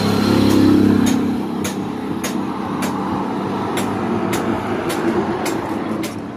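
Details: Honda TMX125 Alpha with weak spark will not start: repeated kicks, each a sharp snap, and the engine turns but never catches. CDI and wiring tested good; the ignition coil was found faulty and was replaced with a new universal coil.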